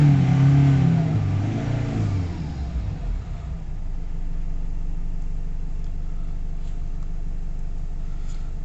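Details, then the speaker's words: Nissan Navara D40 2.5 dCi, after hard starting, shaking idle, stalling and no revs (P1275 fuel pump, P1622; tank contamination suspected), fresh fuel added: engine climbs cleanly to full revs and returns to steady idle, engine light off, running normally. "Oh, engine light's gone. That's brilliant news there. Yep. So it looks like that's all sorted. We've got full revs."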